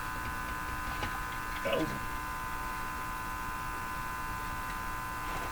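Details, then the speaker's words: Hallicrafters TW2000 communications receiver after replacing the IF transformer with an NOS one: constant low buzzing hum with steady tones above, unchanging; owner suspects power supply hum, not confirmed. "Yeah, I think that's all I heard. That's an ugly ugly hum. It's a very ugly hum."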